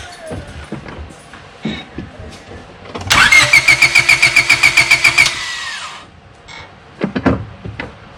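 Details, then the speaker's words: 1998 Honda Civic hatchback starting after OEM fuel filter replacement and battery reconnection, checking for leaks; starter cranks evenly about two seconds, then engine catches and settles, clean healthy start, looks good. "Alright, so by the looks of it, looks like we are good."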